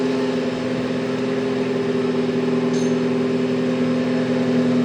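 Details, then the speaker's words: 2016 Ford Focus ST, first startup right after installing a Ford Performance (Mountune) cat-back exhaust, checking clamps and flanges for leaks; steady even drone, no puffing or ticking at joints. Normal idle, no exhaust leaks. "All right, first startup. Oh. That sounds really nice."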